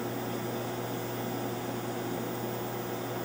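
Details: TR-70 quadruplex video tape recorder from WGTV, stored since 1983, first AC power-up: steady low mains hum with smooth fan hiss and no crackle or arcing; supply voltages present.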